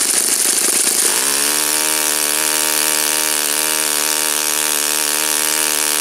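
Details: Saito FA-56 four-stroke glow engine, first run after teardown, cleaning and bearing replacement; apparently moderate-time engine on 12x6 prop, OS F plug, 5% Omega fuel. Catches after a second, settles into smooth steady high drone, no misses or surging; normal running.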